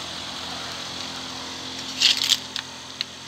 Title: Le bruit de ma pompe à chaleur fait le 3 janvier 2019